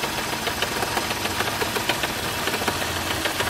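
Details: 2006 Mercedes-Benz E350 petrol engine at idle with a sharp, light knock tapping several times a second over the running hum, coming from the front of the engine; cause unknown, owner asking for help.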